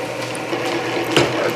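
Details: Canedy Otto drill press with re-laced belts, second-fastest speed because loose main drive belt slipped at fastest, small bit under power feed; even spindle and belt hum, light gear ratcheting, no slipping — normal power-feed drilling.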